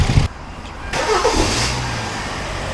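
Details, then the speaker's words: 2013 Kia Forte 2.4L 4-cylinder with intermittent crank-no-start after engine detailing; restarted after being switched off, a brief crank catches at once into a steady, even idle, now starting every time. "okay so it starts up let's try it again okay so now it starts every time"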